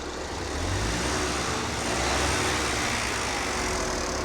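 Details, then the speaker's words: Sounds perfect, Not misfiring Chris. at all now, No. is it? "Sounds perfect, Not misfiring Chris. at all now, No. is it?"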